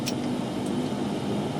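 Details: 2009 Nissan Altima right front hub, heard through a Steelman listening tool pickup: steady, coarse rumbling growl with no rhythm; a graphing multimeter shows the frequency signal on the right side only, pointing to a bad front wheel bearing.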